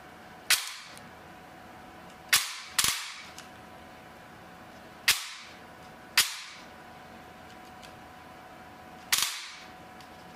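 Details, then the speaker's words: T238 with new brushless motor and new piston: about seven sharp single cracks, only piston slap audible, no gear or motor noise; gearbox and motor cycling cleanly. "like I can barely barely hear anything but the Piston slapping like I don't hear any gear noise or anything now one from the motor nothing just the slap of the piston"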